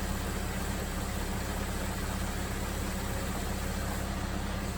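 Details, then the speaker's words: 2000 Jeep Grand Cherokee after fan relay replacement, engine warmed to near operating temperature: steady whooshing electric cooling fan kicks on over a smooth, even idle with no rattle or scraping, then cycles off; cooling fan working normally after repair. "but we got the getting close to temperature TV kicks off hooray came on here at cycle up now"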